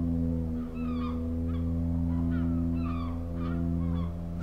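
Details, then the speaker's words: Genesis GV70 SUV creeping forward at slow speed as in traffic: a low, steady moaning drone like a sinking ship from the brakes; brake groan at low speed. "the brakes are quite noisy when you're just creeping along at slow speeds have a listen to this so imagine you're like controlling the car in traffic just easing forward can you hear that what a weird noise sort of like a sinking ship"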